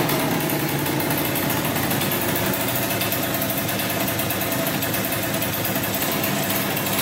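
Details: 2003 Polaris Sportsman 90cc two-stroke ATV, first start after new piston, cylinder and oil pump, on about 40:1 premix for break-in, smoking a lot. Fast buzzy idle, steady and even, no stumbling or misfire; normal two-stroke idle.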